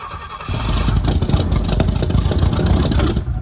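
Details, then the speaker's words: Pontiac GTO barn find, sat for decades, on a newly fitted HEI distributor: uneven, lumpy running with a sluggish, boggy note that never settles; ignition timing set way too low (retarded). "Time's too low. Time's way too low, sounds like. Time's too low. Sounds like."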